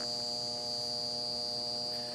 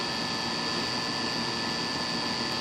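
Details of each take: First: Goodman condenser on a hot day, no-cooling call with outdoor fan not running: steady electrical hum with no fan or compressor running; compressor likely not in thermal overload; run capacitor found swollen, failed capacitor stalling the unit. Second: Goodman outdoor AC condenser, after the blown capacitor was replaced, humming steadily with a whooshing fan and faint high tone, running normally; it was later found overcharged with 0 superheat.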